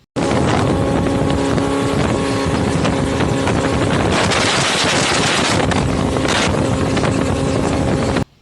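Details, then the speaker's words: 1996 Sea Ray 240 Sundancer with 5.7L MerCruiser petrol inboard, previous owner's footage on Lake Caliraya at speed: strong steady engine roar under load with heavy wind noise, no stumbling; normal running before it later stopped. "And he had video just currently, and you can see the video currently of the boat out on Lake Caliraya hauling butt."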